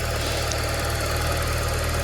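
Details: Used car idling after morning cold start, unused since previous evening, no throttle: steady even low rumble, no knocks or misses; idling smoothly and healthy, oil unchanged but at normal level.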